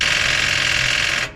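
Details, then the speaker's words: Chevy G10 van being dusted off after sitting: a fast, dry solenoid chatter for about a second and the engine never turns over; battery too weak to crank, needs a jump start. "got nothing we have to jump this thing it's not enough be right back"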